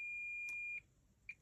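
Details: Klipsch R-10SW subwoofer with constant thumping, power supply board removed, components tested with meter: steady high continuity beep while probes touch, then short chirps as they shift; part reads dead short, possibly parallel to IC.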